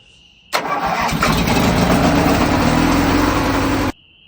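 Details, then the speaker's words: Ranch King riding mower, twin engine, started after earlier concern over milky oil; cranks, catches and settles into an uneven, lumpy, wavering idle; runs rough, cause unknown (owner considers refitting the old spark plugs). "But it does start runs rough. I don't know why."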